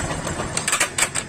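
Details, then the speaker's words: Bajaj Discover 135 with self-start trouble and a stiff kick: as the engine shuts off, four or five sharp metallic clicks rattle from the starter side; mechanic suspects the magnet/self-starter roller kit, not confirmed. "तो start हो रहा था but जब बंद हो रहा है तभी आवाज आ रहा है, काफी बढ़िया देख पा रहे हो।"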